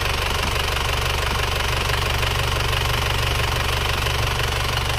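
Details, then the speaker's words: Isuzu Panther Touring diesel at working temperature after engine overhaul with liners restored to original; earlier it smoked a year after a previous rebuild. Now a smooth, even light idle clatter of about four beats a second, no knocking, no dipstick blow-by, smokeless exhaust. "mesinnya sudah halus Mari kita gas asap knalpotnya sudah bersih banget nggak ada asapnya beda jauh sama yang kemarin hidupnya juga rata"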